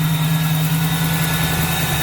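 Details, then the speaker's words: 1979 AMC Spirit AMX, rebuilt AMC 304 V8 bored .060 over with reworked heads and new pistons, 4-speed, first shakedown drive after fixing overheating and fuel issues: steady, even idle with a smooth low burble and no ticks or knocks. "It sounds pretty all right."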